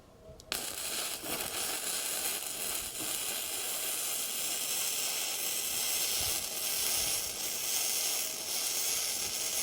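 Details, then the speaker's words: Bestarc entry-level gasless flux-core MIG welder set at 110 amps, down from 120: steady dense hiss with fine crackle, held evenly for ten seconds; powerful, possibly running a little hot. "Boy, that's powerful. Even at 110, and it did stay working that whole time, that may even be a little hot."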